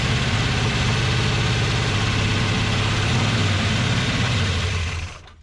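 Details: Big block 440 Dodge truck neglected over a decade, test fire after cleaning dirty connectors, fuel poured in while cranking: rough, lumpy low rumble about five seconds then dies; runs only on primed fuel, cause suspected, not confirmed.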